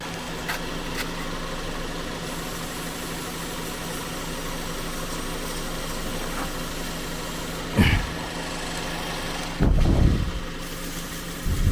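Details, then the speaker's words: Rebuilt salvage 2014 Cadillac CTS at final assembly: smooth, even idle hum with a steady low tone and a couple of brief bumps; engine idling normally and running good. "but anyways she's looking good and she's running good and we're happy"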